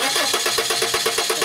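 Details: 1995 Subaru Legacy 2.2 cranking: steady, even starter cranking at about eight pulses a second with no firing; no spark, no coil negative control on either coil, failed igniter.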